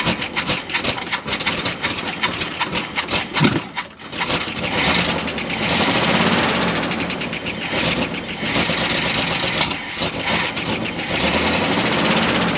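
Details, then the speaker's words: Dodge W300 4x4 dump truck engine, carbureted, revived after sitting a while, catches after a few rough moments then settles into a steady continuous run with a firm even exhaust note; ignition and compression confirmed good, now runs well enough to drive. "oh it runs now too can move it i think that's round enough to drive so let's try it"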